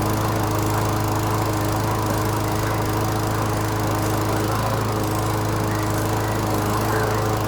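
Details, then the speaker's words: Canadiana Elite 22-inch self-propelled mower with a Briggs & Stratton Quantum engine, bought needing an engine control cable. It runs with a steady, even hum with the drive engaged; a strange noise underneath remains unexplained, first suspected as a loose blade, but the blade checked good. "And as you can see, the self, it works great. beauty."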